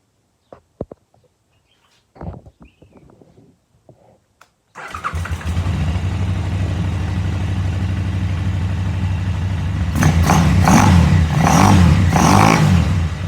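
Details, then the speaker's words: KTM 950 carbureted twin restarted after carb balancing (idle screw moved about a quarter turn): fires and runs even and steady with clean throttle blips, no misses; airflow then reads about 10 on both. "so i'm going to um fire it up again and once we got it running we're gonna rev it a few times see how it sounds"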